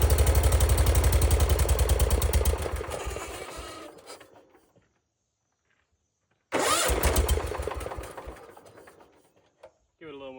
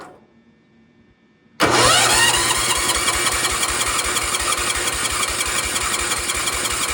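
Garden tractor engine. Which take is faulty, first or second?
second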